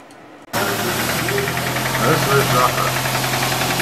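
Engine running with a loose, uneven knock about three to four times a second; converter debris drawn in through the EGR has damaged the cylinders.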